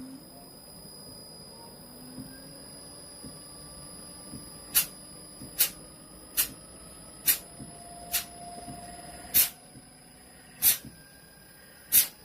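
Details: Gree DC inverter AC, customer says it shuts off at high RPM with no error code: compressor hum climbs in pitch as inverter ramps up, sharp ticks about once a second; runs fine unloaded, fault expected only under load.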